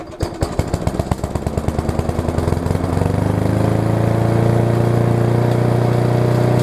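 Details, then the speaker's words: Yard Machines push mower, about 1999, possibly too much gas; small engine fires in uneven lumpy pulses then settles into steadier drone; owner suspects bad carb diaphragm, to be replaced with air filter in general service: rough running. "it sounds like it needs a carb diaphragm which shall probably put one in it I will put one in it because it's it's doing the symptoms of a bad diaphragm"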